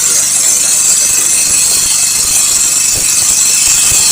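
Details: Grass cutter engine that was hard to start and would not rev, after replacing a broken spark plug and the starter cord and setting valves with a feeler gauge (intake 0.08, exhaust 0.10): buzzes at steady high speed with even firing, no knock or misfire; running properly.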